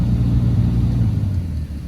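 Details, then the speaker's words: BMW 7-series F02 740Li (2008–2015 model), ignition on, aircon blower running: deep steady droning hum from the dash blower fan that rises with fan speed and eases when slowed; owner complains of strange noise, blower motor suspected, not yet confirmed. "So makin kita kuatkan speed dia, kita akan dengar satu bunyi ya. So kalau kita slow kan, dia akan slow"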